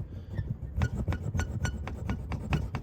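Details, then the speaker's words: Mercedes V-Class W447 single seat cushion: dry creaking rub about three times a second as the cushion rocks, its two metal loops rubbing on metal hooks (metal-to-metal mount). "подушка сидения вот здесь такие две петли А вот здесь два тоже металлических крючка и получается соединение металл металл вот так они вставляются"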